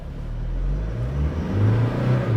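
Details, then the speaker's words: 2020 Toyota Hilux Conquest on pavement in 4WD low range (L4): deep engine drone revving high for little road speed, rough lurching off throttle, with a faint whine from the front gears; high revs in low range, normal. "You see how it's revving really high? And it's rough driving. I mean, I let go of the gas, I dive in forward. It's rough. And it's low gear, it revs higher, and you hear whining sounds of the gears on the front side of this vehicle."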